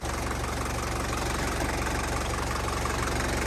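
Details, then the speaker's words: 1981 Mercedes diesel, about 245,000 miles, sitting 15 years, started after glow plugging: steady, even diesel clatter at idle with no misses or odd knocks; a healthy running diesel. "glow plug it once we are ready for the Autobahn sounds like a real diesel"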